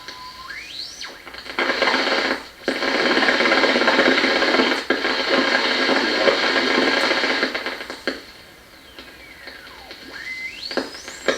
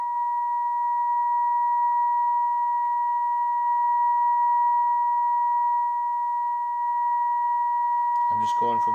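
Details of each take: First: 1937 Grunow Teledial Model 588 radio front-end troubleshooting: its oscillator, heard on a nearby radio tuned to a weak station, produces a whistle sweeping in pitch through static as tuning passes, not very loud; oscillator confirmed working. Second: 1937 Grunow 588 radio while tuning the IF capacitors: pure steady test tone whose loudness sags and recovers, then cuts to crackle; intermittent cold solder connection dropping the signal, possibly fixed when RF-side components are replaced.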